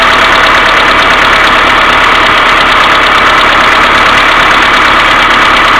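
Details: Mercedes A-Class W168 1.6 petrol, cold engine idling without throttle: rapid light ticking, about three taps a second, from worn hydraulic valve lifters, fixed by replacing them; timing chain hydraulic tensioner hum also audible, tensioner needing cleaning or replacement.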